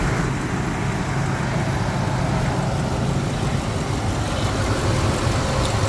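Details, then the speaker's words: Rebuilt Ford 5.4L 2V V8 at warm idle on premium fuel after repairs (Cometic head gaskets, ARP studs, Melling 176 HV oil pump, new chain guides/tensioners, Gibson headers, 3.5in cold air intake); deep, steady, even idle with no misses, ticks or knocks; normal idle. "so yeah you can hear it uh nice running engine everything is working just the way it's supposed to be"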